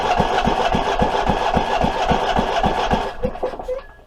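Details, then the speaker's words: Abandoned Troy-Bilt 23 hp V-twin cranking with choke closed and throttle raised: slow heavy thumps about four a second, never catching, then dying; flywheel key missing, so timing is off and no spark when needed, causing kickback. "i'm saying something wrong inside yep we got some internal problems with this motor"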